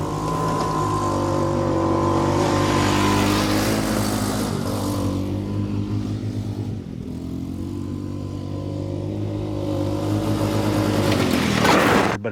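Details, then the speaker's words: John Deere Gator small petrol engine after partial fixes: steady mid-speed run but note wavers and dips unevenly, still a bit rough; owner expects it to worsen over time and suspects the carburetor, likely ordering a replacement. "I figure as time goes on, just like it did a while back. It'll it'll continue to run worse and worse."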